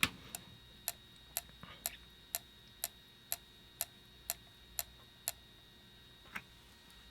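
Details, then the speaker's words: PlayStation 1 not reading discs, after cleaning the lens, before reducing laser potentiometer resistance from about 620 to 496: sharp, evenly spaced clicks about twice a second over a quiet hum, meaning the laser is too weak. "i don't hear that clicking noise anymore if you could hear the clicking noise previously that's an indication that the laser is just too wea"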